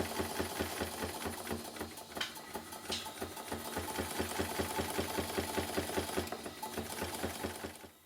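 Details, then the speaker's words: Bassett-Lowke model traction engine, after its connecting-rod bearings were reworked: a sharp, regular knock about 2.5 times a second, once per stroke. The piston strikes the cylinder cover at the end of travel; the small end has no play and the big end is only slightly slack. "When the piston is fully into the cylinder, it's actually colliding with the cylinder cover."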